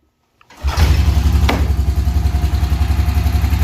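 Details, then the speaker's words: 2003 Honda Rancher 350 4x4 manual-shift ATV, parked 17 years, carb float bowl cleaned after overfilling: catches after a short crank into a steady, even thump, no knocking or tapping; normal cold start. "starts right up runs perfect [Music] engine sounds really good no knocking or tapping this runs really well"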